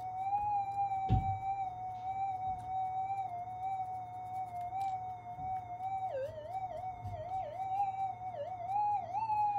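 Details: Minelab GPX 5000 metal detector: steady mid-pitched threshold hum that wobbles and dips in pitch while the board is still wet with cleaning spirit during component-level repair of its noisiness.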